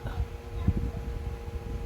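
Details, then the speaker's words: Secondhand LG 25UM58-P ultrawide monitor, switched on: faint steady buzz with two constant mid-pitched tones over quiet room, louder right in front of the screen; electrical buzzing, cause unknown. "humming or buzzing sound. Actually, it's not faint if you're in the front of the monitor."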